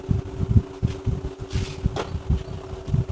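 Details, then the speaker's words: Electric fan after conversion of the motor to ball bearings, running at speed 3: even, steady hum with constant pitch and no grinding or rattle, very quiet with strong airflow. "โอ้เสียงเงียบมาครับเสียงเงียบมากๆเลยนะครับแรงมากเลยนะแรงมากๆเลยนะครับท่านผู้ชม"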